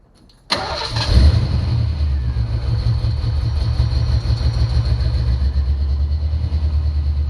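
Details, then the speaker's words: 1990 Ford Mustang 5.0 GT V8, sat over 4 years with engine apart, new fuel pump: catches and settles into lumpy stumbling idle while injectors are hammered; three-cylinder misfire, two bad injectors driver side, one passenger side, suspected sticking. "i've run into a couple of problems i've got three cylinder misfires i've got two injectors bad on the driver's side of the car and one bad on the passenger side"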